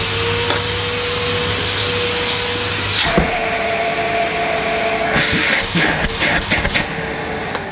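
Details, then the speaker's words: Second switch-on of an early-1990s Hitachi CV-790 Powerhouse bagless vacuum: steady mid-pitched motor hum with a few handling knocks, then a long, slow wind-down; healthy motor with what seems reasonable suction. "Takes a long time, doesn't it, to wind down, but it has quite reasonable suction, I think."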